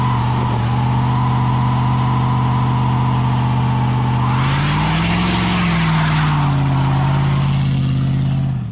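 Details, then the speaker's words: 1999 GMC Sierra pickup, warm, after oil pickup tube O-ring replaced to fix low oil pressure (was 25-30 psi hot, now 40 psi cold start): revs rise and fall cleanly, smooth even note; runs healthy. "Hey guys, we got the oil problem fixed, so we're gonna test on it the right way."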